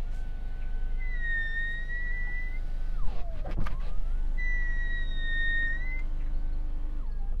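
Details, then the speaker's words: Genesis GV70 SUV, normally very quiet electric window motor: hum through each stroke with a high steady squeal on top when the window glass is wet; unknown whether particular to this car. "while the electric window motors in this car are very quiet if the window is wet you get this strange noise"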